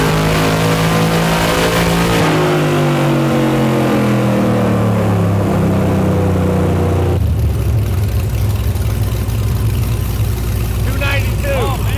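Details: Aluminum-block 5.3 LS Chevrolet V8 for a 1999 Porsche 911 swap, full-throttle dyno pull at 24° timing making almost 300: deep V8 roar climbs hard and evenly, drops off cleanly at lift; healthy pull.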